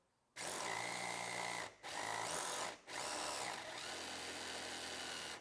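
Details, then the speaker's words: Fly slot car on track with older, unevenly worn rear tyres: small motor whines in bursts with buzzy, tappy rattling vibration as the car skips left and right quickly; out-of-round tyres needing truing. "not too bad you can hear that vibration noise that's the car skipping left and right really quickly"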